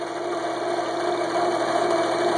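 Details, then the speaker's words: Jigsaw after replacing die-cast aluminum pulleys with cast iron ones, including adjustable lower pulley: even steady hum, constant pitch, no wobble or thumps; runs smoother and quieter than before. "runs perfectly smooth no wobble whatsoever whereas the previous ones they had about an eighth of an inch wobble in it runs much quieter very stable very pleased with them"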